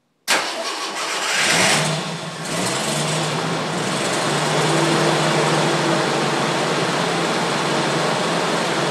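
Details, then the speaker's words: 1980 Jeep CJ5 cold start after sitting four or five days in a garage through sub-zero nights and about five-degree days; brief cranking, catches within about two seconds, then a steady even idle: a healthy cold start. "alright so there we go start it up even though it's been sitting for about four or five days now"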